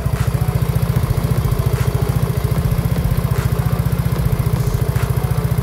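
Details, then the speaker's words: Easy Ride 150 FI scooter bored up to 175cc with a changed injector, at idle: steady, even single-cylinder thumping with no knocks; louder and different in tone than the stock quiet 150; healthy. "And ayan, may iba siyang tunog na nakikreate compared sa Easy Ride 150 Fi ko na tahimik lang."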